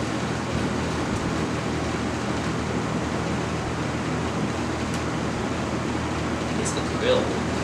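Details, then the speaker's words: Lakewood C122 16-inch box fan, believed mid-1980s, not known if recently oiled, on medium and low; the owner heard an unidentified noise on high. Steady, even rush of air with a low constant hum and no rattles or knocks; runs smoothly and quietly. "and it does still have a pretty nice quiet low it's not as quiet as the mcmillan's on 20 inches from this time or a little bit later work"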